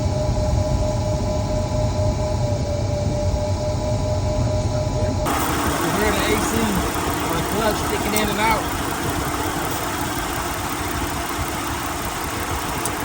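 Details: 2008 Ford Edge, AC compressor diagnosed with an IR thermometer before replacement: steady idle, then an abrupt change in tone and load about five seconds in as the AC clutch engages; it keeps cycling in and out.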